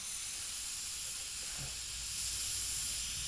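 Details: Custom diesel-swapped Power Wheels parked after one pass at about 30 mph; steady airy hiss of steam with no engine note, temperature jumped from 100 to 250. Owner suspects air in the cooling system, a water pump that won't prime, and poor pipes needing real radiator hose.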